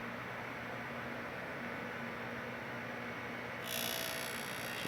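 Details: Darex E85 endmill sharpener, balanced grinder running quietly: steady motor hum, then sudden bright hiss as the wheel is advanced to just touch the endmill cutter before grinding the primary; light normal grinding contact.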